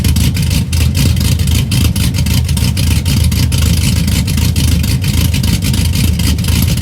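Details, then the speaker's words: 2004 Chevy Silverado stock 5.3L LS V8, first cold start after cam and springs swap (218/227 duration, .526/.524 lift, 109/115 LSA), accessories unhooked, weak battery: deep loping idle, steady choppy beat, no ticking or knocking; runs clean. "So you guys heard it, fired right up, aside from a little bit of the dead battery, but sounds pretty good. The cam sounds pretty good."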